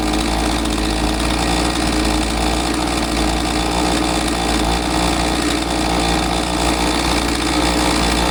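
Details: Husqvarna 543XP two-stroke chainsaw after carburetor readjustment correcting owner's mis-tuning that caused bogging; holds steady, clean high rev with no surging or bogging; normal running after repair.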